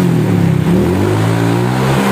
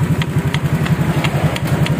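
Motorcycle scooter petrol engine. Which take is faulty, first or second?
second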